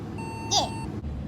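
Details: Car cabin: clear, high electronic beep about a second long, repeating after short gaps over cabin noise; owner says the car glitches and falsely warns the parking brake is on, cause unconfirmed.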